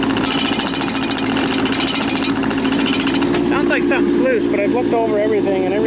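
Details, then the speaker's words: Tracked machine travelling in high gear at 2.1 km/h; rapid, uneven banging about two per second with some squealing; owner suspects the metal guides inside the track clanking on the bottom wheels, or tracks too tight; unconfirmed. "There's uh metal things on the inside of the track that runs on the wheels on the bottom. And I think it's those clanking clanking on that."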